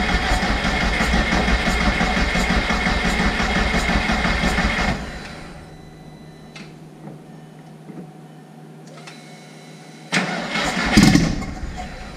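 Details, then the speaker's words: Jetta making 500hp, jump-started from a booster pack after the battery went fully flat, first start in about two months, right after a billet fuel rail and regulator install at about 41 psi; loud start then steady, even hum; normal cold idle settling. "that was very loud so it runs there were these lights first start and probably two months I'd say"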